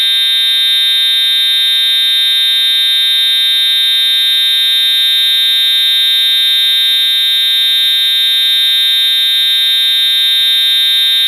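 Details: EST/Edwards Integrity 757-7A-T horn strobe on continuous tone, low volume, horn and strobe together: loud, piercing, unbroken high tone held steady throughout; horn sounding continuously as it should.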